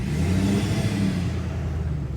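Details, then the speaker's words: Steel-body 6.7 diesel truck at about 5,000 miles; strong deep rev that swells smoothly and settles with no knocks or rattles, sounding healthy. "But this thing also sounds fantastic, by the way."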